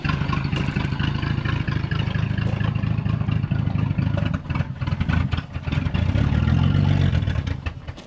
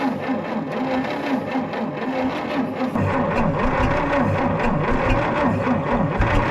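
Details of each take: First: 1940 Plymouth Deluxe six parked about 65 years, started on 6 volts with crushed, clogged muffler and exhaust: low, slightly uneven idle then quick throttle blips; runs fine after storage. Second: 1940 Plymouth Deluxe parked about 65 years, choked: labored slow cranking at about four turns a second. It almost catches but won't start, turning over too slowly to fire. A 12-volt battery is next.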